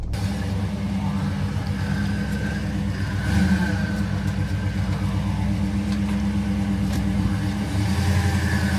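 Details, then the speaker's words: 1964 Ford Galaxie 500 XL V8 on the lift after carburetor rebuild, not yet warmed up: steady, even low rumble with no misses, knocks or ticks, a beautiful smooth rumble; normal idle. "but right now I just love the sound of it it's got a beautiful Rumble to it"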